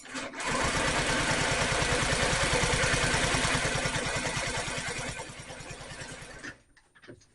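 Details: Honda Metropolitan scooter after new carburetor intake hose and throttle cable fitted and the fuel pump cycled; steady fast starter whirr for about six seconds with no catch or firing; cranks but will not start, though getting fuel.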